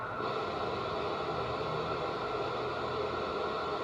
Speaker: try see if anybody knows what this noise is goes on and off that static